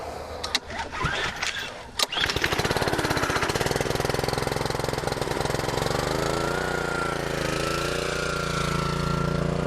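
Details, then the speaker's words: Seven-year-old petrol pressure washer, 2,600 PSI at 2.3 GPM, cold start with choke out: a few recoil pulls, then the engine catches and settles into a steady, even run. "I said seven-year old unit it'll start every time on her cold"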